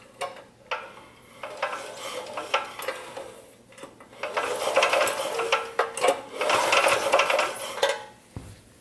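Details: Powerstroke 6000 W portable generator after rotor repair and reinstall, spark plug out, recoil cord pulled slowly: only rope rasp and light ratchet clicks, with no rotor-to-stator grinding.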